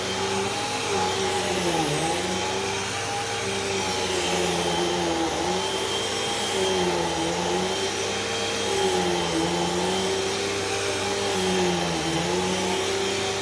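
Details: Brand-new Hoover cyclonic vacuum with rewind cord: even motor whine with thin high squeal and slight periodic pitch dips; drive belt squealed a little and starting to slip, may need changing.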